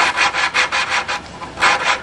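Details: Lawnmower engine valve being hand-lapped with lapping compound via suction-cup tool: gritty back-and-forth rasping, three to four strokes a second, under light pressure, resurfacing the seat for full compression.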